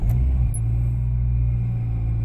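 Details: Renault 19 that would not start, now running after checks of battery, starter, fuel pump, ignition and intake, hoping the fuel pump had primed: engine catches and settles into an even, steady low rumble with no misses or knocks; running properly.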